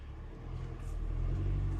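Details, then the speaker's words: 2003 Oldsmobile Alero 2.2L Ecotec in Drive after replacing ignition coil, plugs, boots and controller to cure cylinder 1 misfire: low, even rumble rising smoothly with gas, no stumble or shimmy; fixed. "give it a little gas I don't feel it shimming so I think I think that was the ticket"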